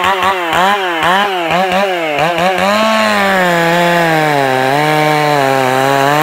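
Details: Stock MS461 with eBay ported muffler, well worn, over a year of cutting; hand round-filed chain used a week, no touch-ups; cutting a cookie off felled red oak. Blips a few revs, then steady cut with slight pitch dip under load: sharp chain cutting normally.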